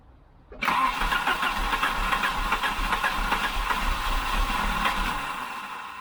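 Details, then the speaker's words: 1988 Volvo 740 GL (745) 2.3 petrol B230F Redblock, stored almost 10 years, with a couple of litres of fresh fuel added: continuous starter cranking at about four beats a second for over five seconds, engine never catches; long crank, no start. "she's trying isn't she"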